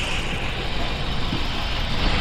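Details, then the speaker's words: Toyota Altis with strong vibration and a misfire, new ignition coils fitted, not overheated: heavy rumbling idle with an uneven shaking undertone; one cylinder has no compression from a cracked exhaust valve, and the number-one spark plug is wet. "altis tayo rito na sobrang ma- vibrate at palyado so titingnan natin yan"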